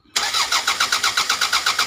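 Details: Toyota Caldina 1AZ crank no start for 5 months: the starter cranks steadily at about seven compression pulses a second and never catches. The cause was a blown EFI 20A fuse.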